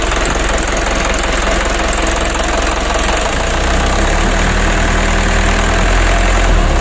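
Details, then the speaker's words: Mitsubishi 120 PS Ragasa diesel, warm, that shook and limped at part throttle, during fuel injection pump plunger adjustment after nozzle service. Steady diesel clatter climbing evenly from gentle to mid throttle; shaking greatly reduced, slight adjustment remaining. "Alhamdulillah untuk guncangan mesin sudah lumayan kurang teman-teman ya nah begitu kita Gas pelan sampai menengah kita usahakan tidak goyang parah seperti awalnya ini sudah berkurang sangat banyak sekali"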